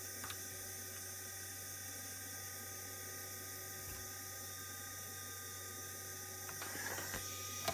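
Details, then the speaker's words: Original Feb 1942 USN ARC-5 command set receiver (1.5–3 Mc) on its repaired original dynamotor: quiet steady high whine with faint hiss holding even pitch as the dynamotor gets loaded; normal dynamotor running. "can tell the Dynam motor is uh getting loaded now"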